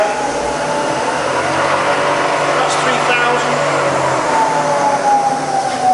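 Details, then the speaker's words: Bridgeport milling machine (48" table, Vari-speed head) spindle in high range: even motor whir with a soft gear tone easing down in pitch as speed drops; quiet, smooth normal spindle running. "Okay, so we're running around this sort of 1500 RPM."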